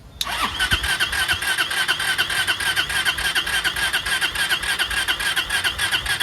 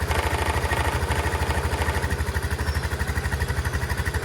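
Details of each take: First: Chinese 150cc scooter (TNG Verona / E-Jewel) with about 18 inches of fuel line; about seven seconds of steady starter whirring with no firing while fuel has yet to reach and fill the carb bowl. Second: Chinese 150cc TNG Verona scooter, started after cranking to fill the float bowl and testing whether it needs a carb clean; the ignition switch had been removed. A steady, even single-cylinder putter at about three beats a second with no misses or knocks; healthy idle.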